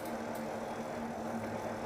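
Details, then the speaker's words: Fat-tire e-bike rolling through a tunnel with motor off: steady low droning hum with even rumble, normal tire noise on pavement. "Do you hear that? That's all tire noise."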